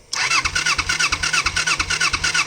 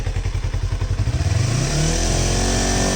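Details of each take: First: 1988 Kawasaki Ninja 250R, 250cc inline twin, possibly unstarted for about 14 years, cranks on choke in neutral without catching: three even compression pulses a second. The petcock was set to on, not reserve, and its pickup sits above the low fuel level, so no fuel reaches the carbs. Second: 1988 Kawasaki Ninja 250R 250cc inline twin, after carb and intake valve cleaning: settles to a steady idle, then clean throttle blips rise and fall smoothly; healthy revving.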